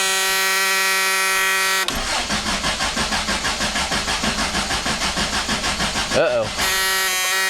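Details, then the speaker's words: 1965 Suburban at cold start: steady buzzing tone, engine cranks and catches, buzzer returns; low oil pressure warning until oil pressure builds. "The buzzer is awfully annoying, isn't it? There's a purpose and a reason. If you've watched my other videos, it's because it tells me there's low oil pressure. But, you know, we're just starting the car, so it'll go away once we have oil pressure."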